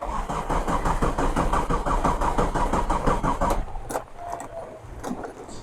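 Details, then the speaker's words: Old converted Tata Indica mechanical diesel, sat about 6 months, in heavy rain; long steady cranking about three turns a second, no start; owner suspects low diesel. "സ്റ്റാർട്ടായില്ല, heat ചെയ്തടിക്കാം. സ്റ്റാർട്ടായില്ല."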